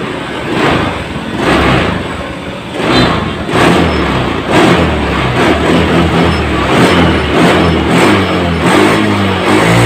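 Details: Honda Scoopy FI scooter after fixing a severe stutter and power loss linked to fuel pressure: engine blipped repeatedly, each rev rising cleanly and promptly with no hesitation, throttle response back to normal.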